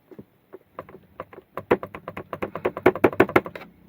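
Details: Tata Punch, about three to four months old: bursts of light plastic clicking in quick uneven runs, about three per second, from a loose cabin trim part rattling; owner plans to wedge foam in to stop it.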